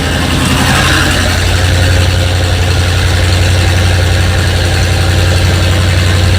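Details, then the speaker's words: Engine with 7600 heads just installed, carburetor fitted, first start with no coolant yet: steady, fast, raised idle with a firm low drone that does not settle; idle speed set too high and needs adjusting down. "to work on the adjustment here get the idol to finish the idol down a little more"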